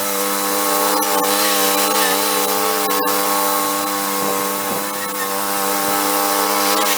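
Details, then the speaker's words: 1991 Craftsman GT twin-cylinder garden tractor, rescued and revived, test running after repairs; steady, even hum with smooth firing and no knocks, rattles or misses, quiet compared with a typical buzz box: normal running. "cool that's a nice little machine everything seems like it functions fine it's nice and quiet it doesn't make much noise compared to a regular one that sounds like a buzz box"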